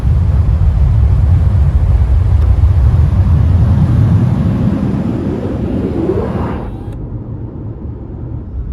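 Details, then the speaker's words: Toyota RAV4 Prime with Vanguard roof rack and new custom front wind fairing, cruising about 61 mph in cold weather, microphone in cabin with moonroof closed: smooth low road rumble, no wind roar, flutter or vibration; quiet cabin. "But I don't think it'll really matter because there's like no noise. So I'll shut up for a second. This is what it sounds like inside the car with the moonroof closed. Really nothing."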